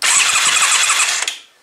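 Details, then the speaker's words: Carbureted Kymco Venox 250 motorcycle cranking during spark test: short burst of starter whirring spinning the engine without firing, then silence; cranks but no start, verified no spark at front or rear plugs, coils being checked. "bueno pues la decimos verificado que no tenemos chispa ni en el cilindro delantero ni goni el aguja delantera en la bujía trasera"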